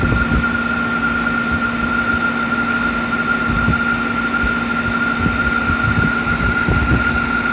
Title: A/c making weird noise